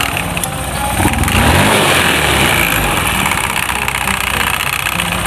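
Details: Honda Beat FI scooter: a loud, busy rattle over the engine as it revs, worse under load with a passenger; worn variator rollers and roller housing are suspected.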